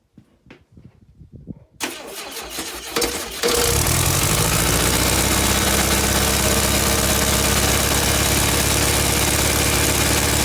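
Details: VW Beetle under restoration, after alternator smoke repair, coil connected by touching wires: cranks a couple of seconds, catches cleanly, settles to steady even idle, no misses or squeal; moisture steaming off, belt tension uncertain.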